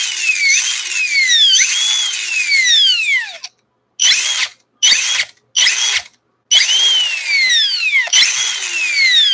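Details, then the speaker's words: Scx24 Nano RC crawler with new Nano BAM motor, ESC set with no drag brake: a high whine falls smoothly in pitch with each throttle release and coasts slowly to a stop; motor sounds clean and healthy. Normal coast-down. "this has no drag break so it kind of slowly rolls to a stop"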